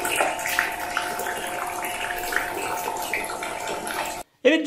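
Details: Rechargeable water-dispenser (demijohn) pump running: steady mid-pitched motor hum with water gurgling for four seconds, then stops; pump running normally during a noise test.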